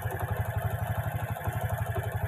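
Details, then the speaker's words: Honda Karisma motorcycle, previously very rough with loud ticking and heavy oil leak, after replacing cam chain and tensioner, repairing the leak and cleaning oil and valve rings: steady, even low idle thump with no ticking or rattle; normal idle. "ring oli dan ring klep dan ini nampaknya sudah halus sudah lumayan sudah bagus"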